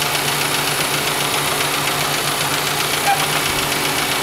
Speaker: so you can hear it chattering again those flaps are going back and forth and they're restricting air flow